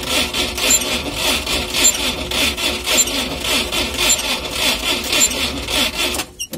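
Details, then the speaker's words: UAZ started from cold, suspected spun crankshaft bearings, and the engine has earlier smoked: a dry, rasping squeak repeats about once a second over a thin, hissy running sound; cause suspected, not confirmed. "Слышно какой-то конкретный скрип."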